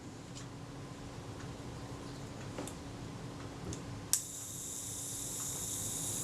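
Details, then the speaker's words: Agfa Agfaflex SLR during servicing, self-timer reset and run again: a click, then a steady, even high buzz for about two seconds with no hesitation; the timer runs normally. "i'm listening to make sure that the tone is even there's no hesitation or no serious hesitation you're not talking about a swiss watch with these things that sounds great to me"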